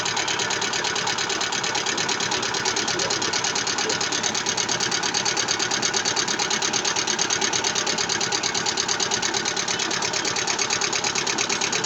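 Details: Lada Vesta engine at idle: sharp, very regular ticking knock, about three a second, standing out above the engine hum; engine knock with low oil pressure, cause unconfirmed.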